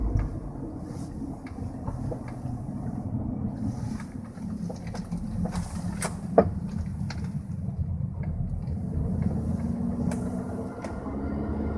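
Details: 2003 Jetta 1.8T with 09A automatic, driving with road rumble and light rattles, then one sharp loud knock from the front end during a right turn; same knock, more subtle, also happens on some bumps.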